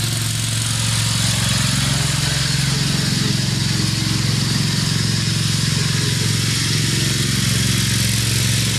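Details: Craftsman LT2000 riding mower, Briggs 17.5HP engine, test run after cleanup, oil topped off with Lucas additive: steady, deep single-cylinder drone with even beat, no misses, knocks or surges; running real sweet, normal.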